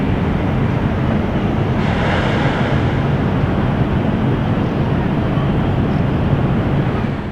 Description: 01:44 Wierd sound from the chimney